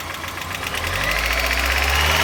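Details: 1990 Mazda Miata at idle: quick, light ticking rides over a steady idle hum, brighter than the engine; owner suspects lifter tick, cause unconfirmed.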